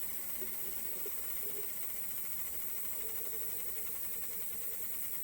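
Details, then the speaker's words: Ford Fiesta XR2 Weber 28/32 TLDM carburettor on a bench after overhaul, fuel pump connected: steady even hiss over faint hum as fuel fills the float bowl, then pump slows as the needle valve shuts off correctly. "okay pump slowing down that's great looks like the needle Val shut off correctly"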